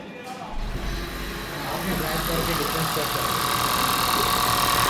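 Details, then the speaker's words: 2014 Honda Vezel idling with an uneven, stumbling beat about four times a second: code P0303, cylinder 3 misfire; injector and plug checked one by one, and an injector problem is indicated. "Code दे रही है P3 P0303 cylinder three miss miss fire three cylinder दे रही है"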